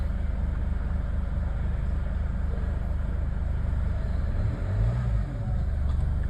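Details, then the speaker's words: Chevrolet Cruze with no ignition/no start, fixed by repairing the ECM: after pressing clutch and push button, ignition comes on and engine starts, smooth even idle, low steady rumble, no misses or knocks. "आप लोग देख सकते हो इसका ignition भी आ गया और हमारी गाड़ी भी स्टार्ट हो चुकी है"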